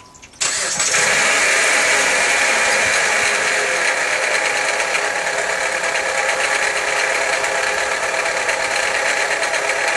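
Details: 2008 Dodge Avenger engine at idle: a loud, fast metallic rattle over the idle, steady throughout, traced by isolating the noise to a failing alternator decoupler pulley.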